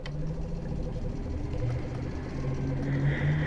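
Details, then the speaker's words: Suzuki GSX-R sportbike at steady low idle: light ticking at about three per second. Cause is the secondary throttle valve actuator, which vibration in the lower gears knocks loose; a known GSX-R issue. "secondary throttle valve actuator for those that are in the know gixxers are notorious for this"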